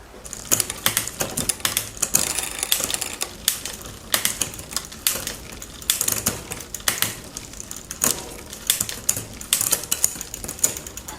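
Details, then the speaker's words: Raleigh Detour 2 bicycle after new derailleur hanger fitted: sharp irregular chain clicks and clatter while pedalling, never settling cleanly into gear; rear derailleur mis-shifting, suspected partly worn shifter indexing. "still doing the same thing as it was before. I'm starting to think it's the shifter. Like partially the shifter."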